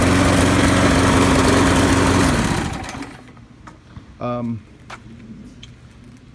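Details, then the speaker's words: Craftsman push mower, Briggs & Stratton 6.5 HP, model 917.388950, newly serviced plug, filter, primer bulb: runs hard and lumpy a couple of seconds then coughs to a stop; broken flywheel key suspected, flywheel key replaced and carburetor rebuilt. "when I run it when this runs it sounds like it may have a broken flywheel key"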